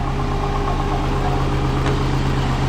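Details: Twin-turbo Subaru after tightening gasket joint, leak stopped: steady even idle with low constant hum, no knocks or misses; sounding good.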